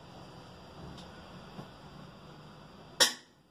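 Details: Electrolux LF 11 washing machine that wouldn't drain, with a burning smell and odd noise, after drain pump replacement: faint low hum, then one sharp click near the end as the new pump engages; normal start.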